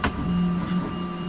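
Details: CEL Robox 3D printer after fixing a filament jam, during a print: steady motor hum with thin constant whine and light low chatter, smooth and even; printing normally.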